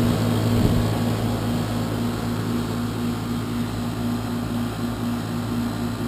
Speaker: so that's the existing heat pump as you can hear it's 12 years old loud on fire up and Loud running as well sitting right outside the homeowner's bedroom